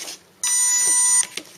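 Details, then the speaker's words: RC airplane brushless motor after swapping two of three motor leads to correct counterclockwise spin: clean, steady high whine with no roughness or rattle; motor now spinning correctly. "oh yeah that's a much happier airplane you can even hear it it just so sounds better and this is it okay that's great so that's a working airplane"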